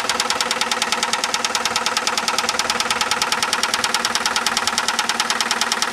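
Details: 2001 Saturn SL2 at idle, stethoscope microphone, after being run very low on oil and sitting two months: sharp, very regular knock about twice a second; oil pressure 35-40 psi; cause not pinned down.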